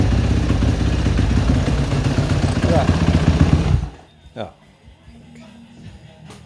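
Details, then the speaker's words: Suzuki RMZ 250 previously wouldn't start; after switching the cams around and re-timing, the single catches and blips up crisply for a few seconds then drops away; fires and runs properly. "Well, it runs. I'll put it back together tomorrow and test drive it."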